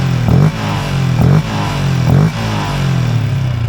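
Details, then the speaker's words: Malaysian LC V8 motorcycle with newly fitted Uma air filter and trumpet, snorkel nose kept (removing it would be louder): three short blips rising and dropping cleanly over steady idle, throaty intake note, no knocks; normal revving. "Kalau buang ni lagi kuat lah bunyi wuuk dia."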